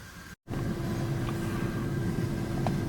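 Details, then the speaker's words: 2003 Dodge Dakota 3.9 V6 with previous misfire and bucking, after replacing fuel pump, wires, plugs, intake electrical parts and checking vacuum lines: steady low even rumble, good pickup, no hesitation; running smoothly. "It seemed to be running great. I mean, lots of pickup, get up and go with it. It didn't hesitate when I gave it gas,"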